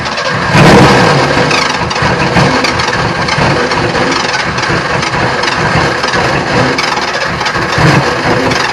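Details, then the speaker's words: Ford Ranger engine on an improvised fuel setup, hand-fed fuel through a manual injector: cranking with ragged uneven firing that catches and dies; ran for a second with backfiring. "it ran for a second and I heard a knock I didn't hear a knock I heard something I heard it uh backfiring"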